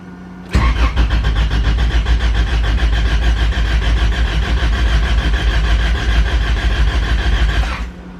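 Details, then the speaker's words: Honda Civic with B20 VTEC engine, manual, distributor unplugged to build oil pressure after fresh fluids: even starter cranking about seven seconds, injectors still firing, never catches; normal priming crank, oil pressure then confirmed. "I unplug the distributor I am going to I'm going to build oil pressure so I'm going to leave the pump running and everything injector activating so if it floods it floods"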